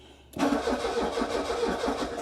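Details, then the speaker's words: Petrol car cranks for about two seconds but never fires; the fuel pump under the back seat gets 9 volts and a good earth but is heard only banging, not running, so it is stuck or seized. "but if we put power to it I don't know if you can hear it so you can hear it banging there's no pump so the fuel pump's stuck"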